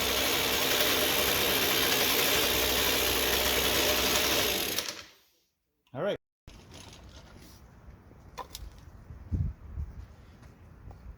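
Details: 2007 Ryobi RY60520 25.4cc two-stroke rototiller, dump rescue, started choked at full throttle: high buzzy drone steady at high revs for several seconds, then shut off; normal running.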